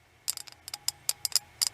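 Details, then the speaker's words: Ratchet ball screwdriver: uneven bursts of sharp, doubled, ragged clicks, vibrating in the hand as if something is stripping out; clunky ratchet. "This thing, you could watch this jump in my hand almost. Listen to this clunky thing. I can feel it vibrate right here on this"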